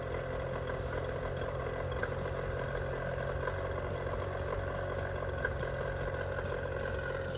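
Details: 25hp Mercury outboard after carburetor rebuild (junk in carb), new fuel pump parts and spark plugs, previously idling badly: holds a steady, even idle with no stumbling or dying off; running healthy.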